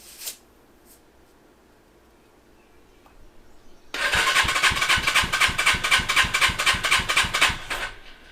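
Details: Custom Suzuki GS450 scrambler twin, compression test, key on, full throttle: starter cranks about four seconds with even, strong beats about four per second; cylinder reads 140, within 130–170 spec, normal compression.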